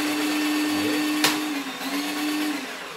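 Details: Tacklife drain-cleaning auger (plumbing snake), new out of the box, on first test: clean, steady mid-pitched motor hum holding for about three seconds with one sharp click partway through, probably the return spring; normal healthy motor running.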